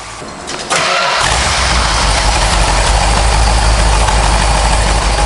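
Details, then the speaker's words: 1970 Dodge Challenger R/T V-code 440 V8, restored, no leaks seen, off the lift; brief cranking then catches at once into deep, even, lumpy idle with no knocks or misses, normal start and idle. "we'll fire that motor up. That way you get to hear that big 440 in there, listen to it hum a little bit,"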